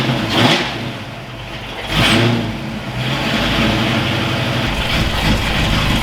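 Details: Ford Foxbody V8 freshly rebuilt in one day: crisp revs rising and falling cleanly, settling to even idle with no misfire, knock or tick; warmed to about 200 degrees before thermostat opened, no oil leaks, normal running.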